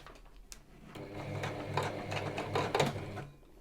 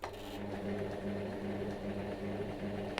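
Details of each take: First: Sewing machine running after cleaning, set to straight stitch: uneven clattering with irregular knocks instead of a smooth stitch beat, fabric trying to move but not feeding through; cause unclear. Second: Sewing machine after basic cleaning and maintenance, straight stitch at stitch length two and no thread loaded. It gives an even, rhythmic hum-and-tick of about three stitches a second with no binding, feeding fabric normally where before it did not feed.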